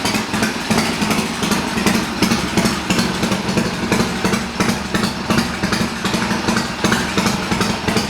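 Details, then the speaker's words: Triumph bobber build, cold after several hours off, ridden a couple hundred miles, carb needle drop and head bolt retorque planned: lumpy but steady idle about three pulses a second, no misses or stumbles; idling fine. "I'll go ahead and get her fired up here. It's cold, hasn't been run for several hours now, so I'll let you hear it."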